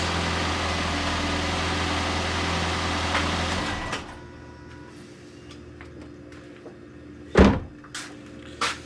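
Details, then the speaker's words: 2008 Toyota Yaris after bolt-on split flange replaced damaged exhaust manifold flange: even, steady low idle hum with no ticking or puffing at the manifold for four seconds before shutdown; leak fixed. "Ah, doesn't sound like an exhaust leak. That's a good sign. Let's rev it up a little. Sounds like a Y should."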